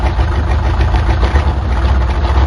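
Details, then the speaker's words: 1977 Chevy C10 Custom Deluxe V8 truck, sat on ramps for years, exhaust not hooked up: deep, loud raw rumble with choppy low pulse at idle from the open exhaust. "it's been a long time sitting up on these ramps but i'm gonna fire it up for you the exhaust ain't hooked up"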